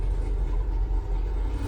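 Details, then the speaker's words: 1989 Range Rover Vogue SE V8 after a throttle position sensor was fitted and tested: steady, even low rumble with no misses or stumbles; already sounds a lot happier, running smoothly. "well it already sounds a lot happier"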